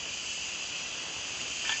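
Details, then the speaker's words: Portable medical oxygen E-tank, regulator opened one turn counterclockwise, gauge jumping to 2000 psi before the nasal cannula is attached: constant high airy hiss from the regulator, no flutter or pulsing; normal oxygen flow. "and you can hear the air coming out of the regulator and you can see that the gauge has now jumped up to 2000 psi"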